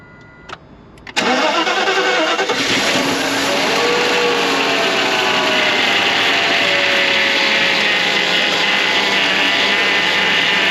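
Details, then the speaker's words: Free 1992 Mercedes 400SE, quarter tank of gas, spark confirmed: after a short click it catches and holds a steady, quiet run only while fed starting fluid. Owner suspects the fuel filter or stale gas, a fuel supply issue. "sound pretty quiet all right so I think we might need to just get a new fuel filter for or maybe get some fresh gas in the tank and"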